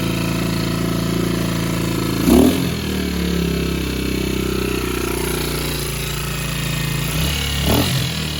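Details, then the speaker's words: 2007 Baja Dirt Runner 125cc four-stroke Chinese dirt bike after repair: single idles evenly, picks up cleanly on two quick blips and settles back; compression present, no knock or rattle now, owner hopes top end is fine. "देखें कि इसमें संपीड़न है और यह ऐसा लगता है कि अब कोई दस्तक और खड़खड़ाहट नहीं है"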